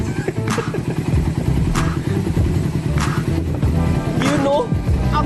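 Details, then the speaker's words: Refreshed 10-year-old carbureted Suzuki Raider 150 engine, after new parts and a choke scare, idling quiet and smooth: low steady single-cylinder thump, no knocks or rattles, over background music; normal healthy idle. "tahimik na ng makina niya. Ang ganda na ng tunog."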